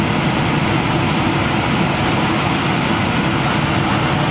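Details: Gas furnace running in heat after a workaround wiring in place of a replacement smart gas valve; an earlier combustion test was fine. A steady, even roar of burner and blower with no knocks, rattles or surging: normal operation.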